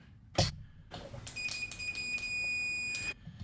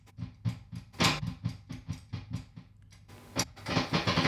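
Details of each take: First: Tone King Falcon guitar amp (late 2013) being fixed for hum and buzz: meter continuity test from chassis ground bolt to pot casing after filing coating from mounting hole gives clean steady beep; pot now grounded, ungrounded casings caused the hum. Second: Tone King Falcon amp, live out of standby: a low steady hum and buzz with irregular crackling as the tone pot is unscrewed and loses its chassis ground on and off; the fix is grounding the pot to the chassis.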